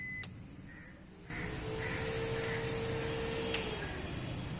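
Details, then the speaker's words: Cooling fan in a turbo water-cooling setup on a K-swapped Honda CR-Z/Fit, switched on: a click, then a steady, even whirring hum; the electric cooling fan runs normally. "I am now turning it on. This is the oil cooler fan."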